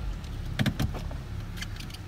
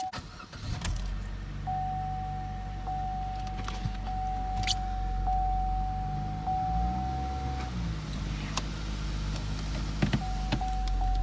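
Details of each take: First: 2015 Chevrolet Cruze at 31,000 km after fixing a cylinder 4 misfire (P0304): steady, even low idle rumble with no stumble, over a few sharp handling clicks; check engine light now off. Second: 2015 Chevy Cruze, 31,000 km, check engine light, code P0304: idle with uneven lumpy beat from cylinder 4 misfire; green corrosion on top of number four coil connection, plug fouled.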